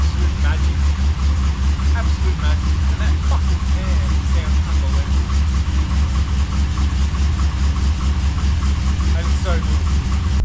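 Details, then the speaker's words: Holden VX SS Commodore V8 with freshly rebuilt 4L60E, cold start after sitting a week; catches quickly and settles into steady, even, deep idle with no knocks or misses; healthy. "man that start up that how freaking goodies that that is completely cold I haven't touched it or started it for a week and dead say starts up that good"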